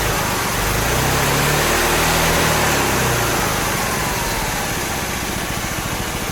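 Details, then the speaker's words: Supercharger on a four-stroke engine with a Mikuni carburetor jetted for a two-stroke, not yet tuned under load: a high whine slides down in pitch and fades as the supercharger loses drive after briefly reaching 2 psi boost; owner suspects the taper lock. "and right about here the supercharger calls it quits again I'm suspecting it's still that Taper Lock"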